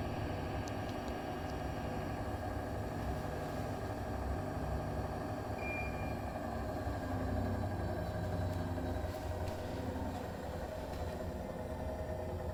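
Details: New Bosch Serie 4 EcoSilence washer, technician-installed with drum transit screws removed, spin: steady low roar with droning mid-pitched hum from drum/spindle, brushless motor quiet; occurs 400–1400 rpm whether loaded or not, cause unknown.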